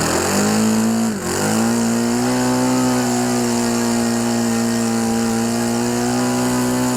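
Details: OS FS 91 Surpass 15 cc methanol four-stroke on what is probably a Graupner 14x7 prop, breaking in a new ring after a crash rebuild, near the end of the first tank; steady high buzz after a brief early dip, smooth and consistent, a healthy very-rich break-in run.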